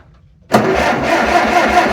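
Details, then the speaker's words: Tractor cranking without starting in about 40° weather; water found in the exhaust despite the stack, carburetor dumping gasoline, so owner believes it is badly flooded; uneven starter churning never catches: cranking no-start. "carburetor dumping gasoline everywhere all right so it's probably flooded big time now shut our fuel off open our choke up try it again"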